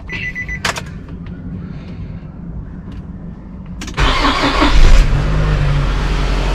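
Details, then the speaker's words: Cold morning start of a 2007 Nissan X-Trail at nearly 300,000 km after head gasket replacement, no creamy oil or coolant loss: steady cranking, fires promptly, settles into an even smooth idle; normal cold start. "now we're gonna start it up in the morning cold start see how it's like and uh that will be it"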